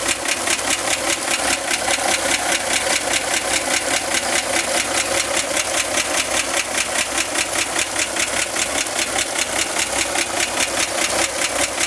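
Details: 1965 Corvair engine idling with sharp, even ticking about 2.5 times a second from the top near the fan, began 2-3 weeks ago and getting louder; fan belt tightening reduced it only slightly, cause unknown.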